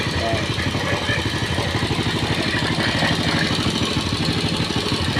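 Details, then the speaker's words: Old single-cylinder motorcycle said to idle smoothly when cold but run rough after 20–25 km, now hot: steady putter at about three beats a second, even and unbroken with no ticking or knocking, oil supply good; normal idle. "Oke jadi caranya untuk melihat pemukul yang bagus cara kerjanya seperti tadi mau jalan sampai berapa ratus KM pun komponen dalam mesin ini tetap aman guys"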